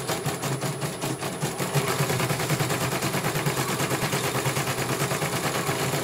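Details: CNY computer embroidery machine from Banjarnegara, Central Java, test-stitching after service (dynamo motor earlier wouldn't spin at all): fast, even needle clatter about three beats per second, no grinding or knocking; one colour finished, result very good, normal stitching.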